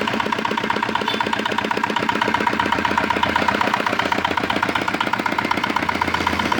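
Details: Repaired old, modified Chinese R180 single-cylinder diesel for wood splitting, previously bearing knock/seizing despite crankshaft replacement: crisp knock at about two and a half beats per second, very steady and even; sound, healthy engine.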